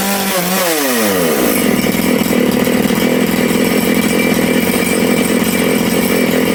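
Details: Big-bore Makita/Dolmar 6400/7900 85cc 54mm chainsaw, carb limiters removed, needles set one turn out: it snaps from idle to a screaming, slightly rough high rev and holds. The carb is being retuned after a lean low jet; it nearly died when leaned, so it was richened.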